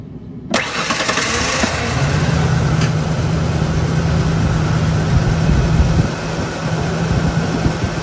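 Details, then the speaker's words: Ford Ranger six-cylinder cranks, catches and idles rough with a severe misfire; owner first suspected TFI ignition module or coil, but all six cylinders had spark and two got no fuel, bad fuel injectors. "I think into the ignition control module TFI whatever you want call it or the coil's bad on it it's got a horrible mire"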